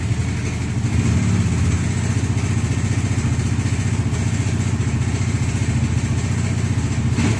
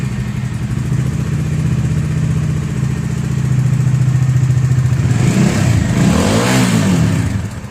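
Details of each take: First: Bajaj Dominar 400 BS6: steady idle carrying a rapid, even clatter about four beats a second over the exhaust; slack timing chain rattling. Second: Bajaj Dominar 400 BS6 after engine noise repair: even low idle thrum with a short clean rev blip, no chain slap rattle; guide noise may remain, guide replacement still needed.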